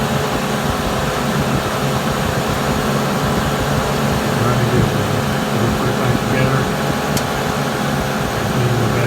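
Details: Suburban propane furnace, after a fix for not coming on, firing with a blue flame: even, steady blower hum with a soft burner rush underneath, no rattles, surging or clicking; the furnace runs normally.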